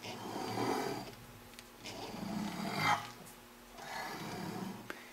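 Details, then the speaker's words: Hand-cranked Country Living grain mill set to zero before grinding corn: slow uneven scraping every second or two as the handle turns, plates just touching each other, correctly adjusted. "so they say the proper way to set up your setup your milling or changing off your arbors and grinding place and such as you want to have them have the grinding place where you can just hear them touching each other"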